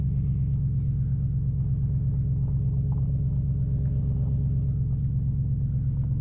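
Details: 2005 Nissan Titan V8 after Walbro fuel pump rebuild and new starter, muffler removed: deep loud even rumble with steady beat, no misses or rattles; seemingly running better than before.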